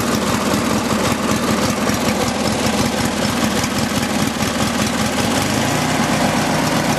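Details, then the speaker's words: Craftsman riding tractor, fired up after sitting about six months: an even, steady low putter at idle with no missing beats. Both cylinders are firing and the engine idles smoothly. "the motor is not shaking too badly so I know it's running on both cylinders"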